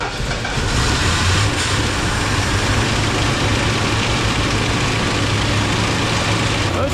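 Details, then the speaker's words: 1970s Lincoln Continental Town Car sitting about 30 years, revived, choke freed after broken vacuum line: steady rough idle with light clacking up front from old belts and a faint tap from the AC compressor. "that clacking noise you hear up front is the belts and that AC compressor little tap I hear starting too"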